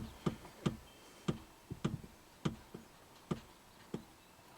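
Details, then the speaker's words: Chevy truck in reduced engine power mode with codes P1515/P1516, testing a reman electronic throttle body: irregular sharp woodpecker-like ticking with the engine off as the throttle plate chatters and the TP angle reads erratically; cause not confirmed. "Sounds like a woodpecker sometimes."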